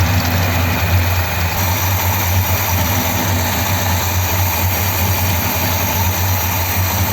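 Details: 1957 Ford Thunderbird after reinstating original parts: low V8 idle with uneven, lumpy undertone, definitely misfiring yet running and not pushing fuel out; cause unknown, running badly.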